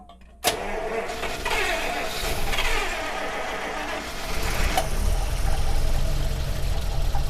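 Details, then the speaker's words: 1948 Buick Roadmaster Model 79 wagon, 320 cu in OHV straight-eight, after carburetor primed: cranks and catches unevenly, coughing without settling, as fuel is still coming up from the tank; starved of fuel. "yeah the gas is still halfway from the tank go ahead and prime it again splash it yeah because you don't want to run the battery down"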